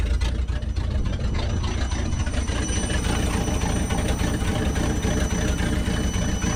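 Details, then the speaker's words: 1963 International Loadstar truck being revived: thin high whistle rides steadily over the rumbling idle without changing pitch while warming up; owner guesses a squealing belt accessory such as the generator. "she sounds like a turbine's winding up uh now i did install a supercharger sorry to disappoint y'all uh i'm guessing a uh what do you call those things accessory squealing generator or something"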